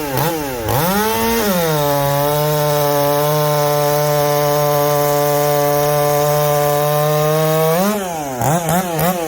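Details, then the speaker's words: Chainsaw just fired up and tuned after top-end work with a tight fit: climbs to a clean, steady high pitch and holds it evenly through the cut, no bogging or surging; tuned right up and runs healthy under load. "once i get it tuned up we'll put it in some wood she tuned right up no problem"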